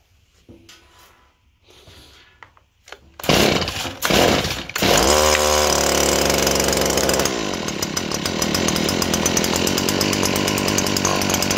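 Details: Small two-stroke engine that gave a very low compression gauge reading (about 20 PSI or less); after choke and priming, quick pull catches, revs crisp and settles to a steady high buzz; normal running despite low compression test.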